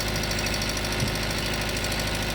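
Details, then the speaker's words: 2014 Mitsubishi Adventure diesel, fuel filter still original, hard starting that needs the gas pedal: hard clatter at idle with an uneven beat and an occasional missed stroke; air in the fuel system, fix is bleeding the injectors. "Dapat hindi ganon. Pag inst mo ito one click lang yan eh. Kaya pag ganyan mga boss, dito na kayo mag-breed sa mga injector niyo."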